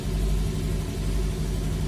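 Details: Honda Vario 110 LED CBS ISS scooter that would only click "tek tek" at the starter, cause a weak battery; running with charging around 14 V, a steady low drone with an even beat, no knocks, running normally.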